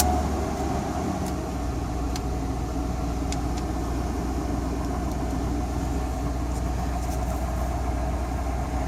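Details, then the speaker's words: 2000 Chevrolet Silverado 1500 Z71 V8 just after fuel pump assembly replacement: steady, even idle with smooth low rumble and no stumbling, a little knocking noted; running normally. "Look at that. She's a running. A little bit of knocking."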